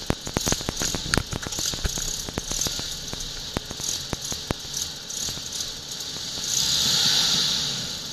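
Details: Jaguar V12, engine bay microphone, restarted after dying while reversing; uneven sharp pops and crackles over a rough stumbling idle, misfiring and unwilling to run at low throttle.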